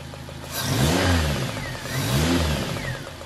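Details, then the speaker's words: Engine running with a deliberately loosened spark plug for a relative compression test: runs fairly evenly but a soft puffing pop comes up the spark plug tube about once a second; compression leaking past the loose plug, not enough to misfire. "you can hear if you listen carefully the popping noise coming up that spark plug tube so definitely got a compression issue there"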